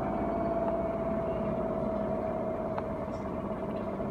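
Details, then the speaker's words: Whirlpool Duet washer winding down from spin with about seven minutes showing: smooth steady hum with faint tone fading as the drum slows, no grinding or banging; normal spin wind-down. "it means it's about to be done soon even though it's at seven minutes because you know it has the sensors"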